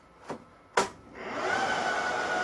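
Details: HP ProLiant DL380 server being wiped, at power-on: two clicks then a rushing whoosh building with steady whine, like a hair dryer; fans roaring flat out.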